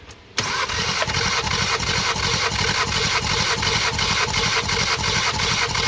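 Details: 2018 VW Golf R, 242,000 km, during compression test with full throttle: starter engages, engine turns over in steady even beats about three a second, no drag; healthy cranking.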